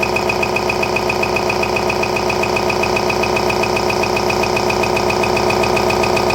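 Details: RCA SJT 400 CED player trying to eject: steady, even hard clatter two or three times a second; loading motor either seized or its belt broken, belt needs replacing; owner also suspects a broken gear.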